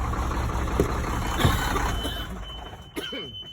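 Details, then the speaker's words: Sterling semi with Cummins diesel, first start after sitting 8 years: runs steady with over 100 psi oil pressure for a couple of seconds, then fades and dies. "Well, it had over 100 PSI oil pressure, and then she just turned off. So, something's not happy, but it runs, and that's what we were worried about."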